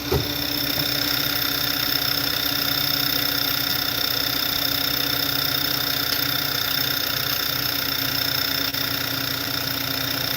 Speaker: yeah guys and it's leaking fuel right there so we're going to start it up again cuz we catch the leak and that why it's misfiring because the pressure not getting to go to number one and two injector